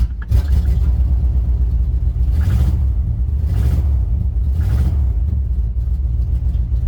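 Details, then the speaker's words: 1992-94 Chevy K5 Blazer, cold start at about 20 degrees, starts first try, sometimes needs gas pedal tapped: deep low rumble with gentle throttle swells; owner suspects blown head gasket or intake manifold gasket, usually water from tailpipe. "See, she cranks up the first time. Sometimes you gotta pat the gas pedal for some odd reason."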